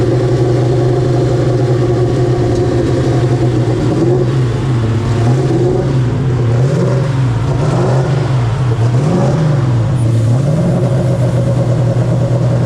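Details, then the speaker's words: 2000 HP turbo Ford Mod motor V8 after repairs to a leaking intercooler, bad valve seats and exhaust leaks: revving in repeated clean swells. A later pressure check found a pinhole leak at the number 7 EGT port. "As you can see, it just spooled in 5 seconds here. It didn't even spool that quick in Georgia, and we're about 5,000 feet higher than we were in Georgia."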